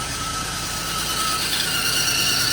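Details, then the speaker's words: LS1 V8 Holden Adventra idling with both belts and all accessories removed: a steady high-pitched squeal persists, so it is not a belt or accessory; its source is unknown. "all right belts are gone let's see if the squeal is still here yep squeal's still there"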